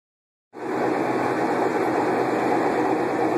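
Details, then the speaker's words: Kenmore Elite Oasis HE front-load washer in spin cycle, circuit board previously replaced under warranty for an F code: loud steady jet-engine-like roar, still washes normally; cause unknown. "our Kenmore Elite Oasis H washing machine making a loud noise like a jet engine getting ready to take off as it spins the wash is normal"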